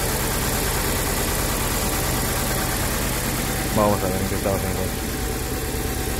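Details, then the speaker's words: Mitsubishi Cedia 4G15 GDI with unstable running: uneven, lumpy idle with an irregular low pulse; mechanic suspects one cylinder is not working, not yet identified; rough idle. "vamos a alargar probablemente hay un cilindro que no trabaja vamos a ver qué cilindro"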